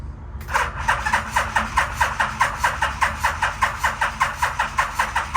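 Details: 1987 Yamaha Venture Royale 1300cc motorcycle, long-stored barn find, carbs just reinstalled: steady starter cranking about 2.5 pulses a second that never catches; no fuel delivery because the fuel pump is not plugged in.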